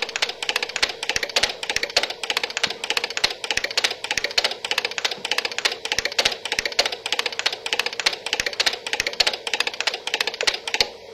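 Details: DUO 14 Premium homemade 2-bit relay computer (48 bits ROM, 14 bits RAM, 8 commands) running an 8-command light-pattern program: crisp relay clicks about two a second in a steady stepping pattern; normal operation.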